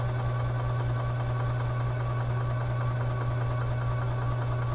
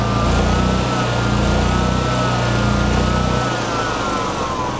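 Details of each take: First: 2011 EZGO TXT gas golf cart, crank-no-start with wet gas, cranked in icy weather to prime the fuel system into a container. A steady buzzing crank with an even chug about 2.5 beats a second, no firing: normal cranking. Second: 2011 EZ-GO TXT gas golf cart, reassembled after a crank-no-start: the single-cylinder engine buzzes high and steady at full governed speed, governor set to maximum, then its pitch sinks as it winds down and stops.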